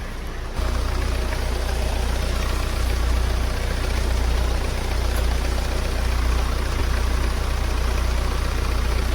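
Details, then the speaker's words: Hyundai/Kia Sportage idling steadily and evenly with no knocks or misses, restarting on its own after a no-start from a discharged battery (about 10.5 V) that was jump-started and recharged; charging checked above 13 V. "Start करके देखते हैं start हो गया है battery भी charge हो गया"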